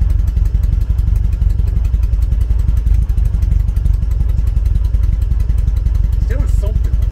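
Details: 1974 VW Beetle flat-four on Weber IDF carbs, misfiring on cylinder three with a blocked idle jet, revved to try to clear it: ragged, irregular low thudding of three to four beats a second. Misfire persists.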